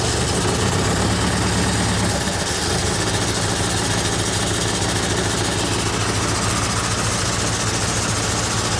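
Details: John Deere 401C diesel first run after revival, throttle about half, injection lines just primed: loud, uneven clatter with a lumpy, irregular beat; engine running rough, cause not yet known.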